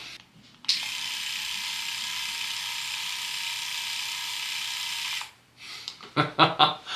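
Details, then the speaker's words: Philips Norelco 3000 Series electric shaver, about 3 years old, just after swapping in new replacement blade heads: smooth, even high-pitched buzz with no rattle, about 10 dB quieter than the 71 dB measured before; normal running. "that is a big difference 10 DB now's the Moment of Truth"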